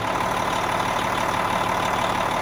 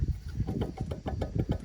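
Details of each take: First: Cabover truck diesel after installing a new Industrial Injection 467 forged milled-wheel turbo (pre-lubed), first start; steady even idle with low rumble and faint turbo whistle, more than the old turbo. No leaks; runs healthy. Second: Cabover truck's removed 1.1-million-mile turbo, shaft rocked by hand showing side-to-side and in-out play; irregular rattling clunks and loose knocking. Worn-out turbo shaft bearings, turbo being replaced.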